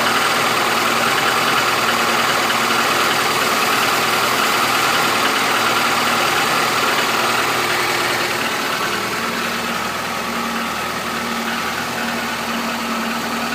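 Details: Chevrolet Niva 2014, 100,000 km, cold start at -15°C: steady idle with even light tapping a little over two per second; knock present since new, lessens as it warms, hydraulic lifters fine, compression normal, good pull; cause unknown.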